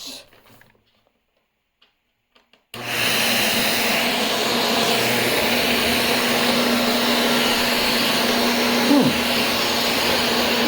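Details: Shark Rotator vacuum after clearing debris from brush roll: after a quiet pause motor switches on, holds steady even whine, no rubbing or grinding; repaired and running normally.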